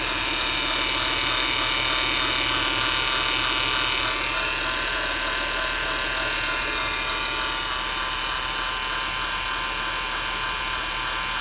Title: Whine noise on a 2007 Acura TL